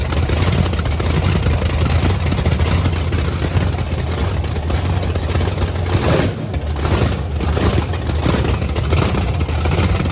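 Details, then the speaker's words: Blower V8 Camaro on methanol after fuel nozzle cleaning: loud, steady, hard-edged roar at constant fast idle, no stumbling or popping; sounds way better, shortly before running out of fuel. "man it sounds good though sounds way better Sam was about to put it to the Chip sounds pretty good though"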